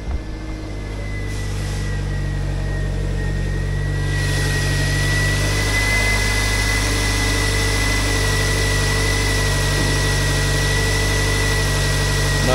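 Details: 2000 Toyota MR2, manual, about 93,537 or 95,537 miles, idle after starting: steady, even idle with smooth low drone and faint constant accessory whine, no smoke, healthy motor.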